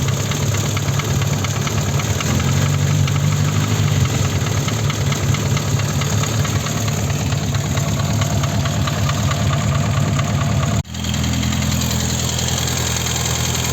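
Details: VAZ 21083 at idle: light metallic tapping about two a second, unevenly spaced, same warm or cold; owner suspects piston pin in cylinder 1, not confirmed.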